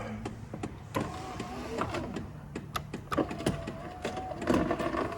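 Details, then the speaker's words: 2012 Chevy Impala power window, regulator replaced 3,000 miles earlier: motor whirs with wavering pitch over scattered clicks and taps as the cable bunches up; regulator cable has failed. "yeah you can just hear that cable wrapping up in there something's broke on this regulator"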